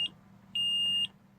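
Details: 2003 Forest River Georgetown Class A RV with 35,000 miles: a steady high beep, half a second on and half off, from the LCI hydraulic jack system, showing an all-retract error and a parking-brake-not-set message after the jack failure and repeated repair attempts; cause unknown.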